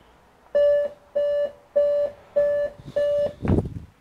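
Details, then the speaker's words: Dell Inspiron One 2330 all-in-one: power light and button work, but it gives five identical mid-pitched beeps about 0.6 seconds apart at startup, a five-beep POST error traced to CMOS battery failure. "the issue is this is the issue so I thought we do a video on it power light on power button that's working five beeps"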